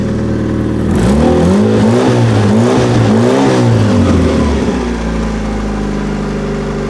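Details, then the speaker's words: 2003 Hyundai Sonata with many check engine codes, severe misfire and low power, now running great after repairs with O2 sensors connected: idling then revving twice, with a loud, raspy, puffing note from an exhaust leak, later temporarily patched with aluminum tape. "oh wow all right engine runs great can absolutely hear that exhaust"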